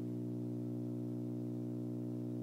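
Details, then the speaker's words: Bang & Olufsen receiver on phono channel with turntable off and cable unplugged, hum gets slightly louder: constant low buzzy hum, unchanging pitch and level; mains hum, owner suspects grounding problem, not confirmed. "so my question is what is this hum is this a grounding problem do you"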